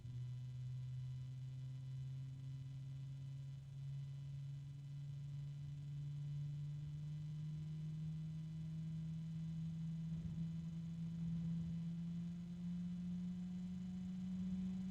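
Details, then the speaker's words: Multi-fan unit, previously returned for a broken fan blade: steady low droning hum whose pitch creeps upward as the fans run, with growing noise and shaking in the hand; owner suspects a bearing starting to hum, not confirmed. "I don't know if you guys can hear it but there's a weird noise I'm assuming it's the bearing not starting to hum kind of a deep"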